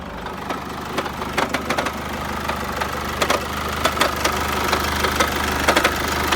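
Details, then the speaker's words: Chevrolet Captiva 2.2 diesel, heavy uneven knock about twice a second from the sump area at low revs, fading with higher revs; aluminium shavings in sump, crankshaft pulley and alternator clutch ruled out: cracked flywheel knock. "и стук в двигателе вот наконец-то нашли вот она трещина маховике вот она показывает"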